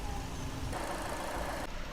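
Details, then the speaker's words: Skoda Fabia diesel at idle with rpm steady: even clatter with no hunting or stumble; light smoke after start considered no issue, engine healthy. "बिल्कुल RPM देखो stable खड़ा हुआ है। कोई ठच नहीं, कोई फच नहीं।"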